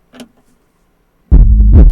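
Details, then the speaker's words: Soundstream XXX-15000D car audio amplifier under repair, gain set very high: quiet, then strong clean deep bass through the speaker with no crackle. The channel plays normally. "Oh, ben ça marche. Il y a un bridge, je crois que c'est lui là. Bon, ben ça va. Il fonctionne notre ampli."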